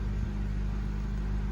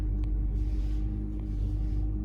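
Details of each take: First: 2013 Honda Civic idling after spark plug replacement for a cylinder 1 misfire (P0301): low, steady engine hum with no stumble or vibration, a normal idle. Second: 2013 Honda Civic just started, check engine light, code P0301: deep, uneven idle rumble with a stumble and noticeable shaking from a cylinder 1 misfire; spark plug to be inspected.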